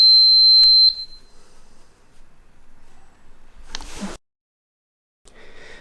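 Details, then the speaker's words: EUNI ES808 electric kick scooter after about 13.7 km, battery nearly empty; one sharp high-pitched beep about a second long, then handling clatter, the low-battery warning. "Les bips là que vous entendez, c'est tout simplement l'indicateur que la batterie est quasiment déchargée."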